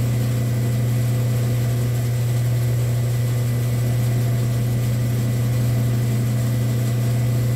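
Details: Rock slab saw with a slow screw-driven carriage, testing the repaired auto shut-off switch. A steady, constant low motor hum without knocking, grinding or surging; it runs healthy.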